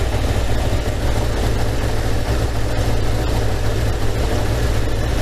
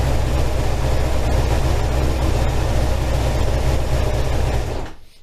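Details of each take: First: 1987 Kawasaki GPZ600R (ZX600A) after rebuild, idling fast around 2000 rpm during vacuum synchronisation: slightly lumpy, uneven pulse between cylinders. Carbs out of balance, cylinder 3 strong and cylinder 4 weak; adjustment screw being turned. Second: 1987 Kawasaki GPZ600R (ZX600A) after a rebuild, idling during carburetor synchronization: steady, even low rumble without hunting or surging, then the engine shuts off; normal balanced idle.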